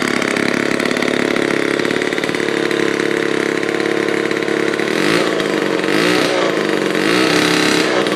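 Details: 1949 Lombard one-man chainsaw, Homelite-powered two-stroke, rebuilt with all-new internals after being seized, first start: crisp steady buzz picking up cleanly on each throttle blip; runs smooth and healthy.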